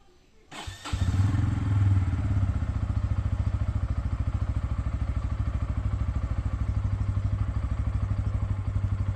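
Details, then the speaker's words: Bajaj Pulsar N160, second start of the day (strange noise occurs only on first start): fires promptly, settles into even thumping idle around three beats a second with no odd noises; normal start and idle. "আমি আরেকবার engine start করছি, কিন্তু দেখবে এবার কোনো আওয়াজ আসবে না।"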